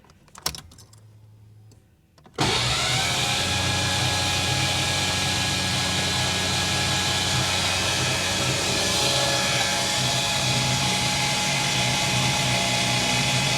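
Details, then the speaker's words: 1989 Ford Mustang GT (Foxbody, non-stock engine) cranked with coil unplugged and injectors disconnected to check the valvetrain; the starter spins the engine at an even, fast rhythm with no firing, turning over healthily with oil reaching the top end. "all right tell you what the engine turns over great she sounds good we've definitely got oil to the top of the engine"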